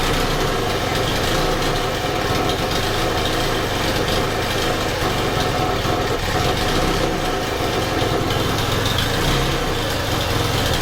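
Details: Honda FG110 with GX25 four-stroke, replacement Amazon carburetor after owner's no-run (ran only on half choke): low, uneven hunting idle, struggling to hold speed; carb suspected nowhere near tuned, oil soaking air filter, possibly excessive.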